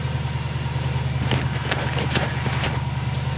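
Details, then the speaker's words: Subaru with big turbo and big cam, start attempt after engine pulled and refitted to fix right-head oil leak, about six percent throttle: low, laboring starter drone with uneven compression pulses, cranks too slowly and doesn't catch; cause not confirmed. "I've got about six percent throttle on this I should idle up but we're not getting the cranking speed hear that guys"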